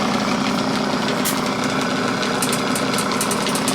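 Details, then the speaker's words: Small, possibly two-stage air compressor; busy pumping clatter with loose thump two or three times a second as tank pressure builds; normal running under load. "It'll probably start, when it starts getting some pressure on it, start making some bumping a little bit."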